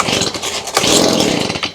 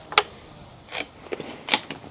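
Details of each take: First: Stihl BG55 two-stroke leaf blower, bought used around 2020, air cover off; ragged, uneven buzz surging and fading without holding revs, then dying; owner suspects clogged carburetor, fuel not coming through primer bulb, before carb cleaning. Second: Stihl BG55 leaf blower, bought used around 2020, started after a carb clean and reassembly with the gasket. A few sharp pull-cord snaps, then it catches in loud raspy bursts and keeps running on choke; a healthy start.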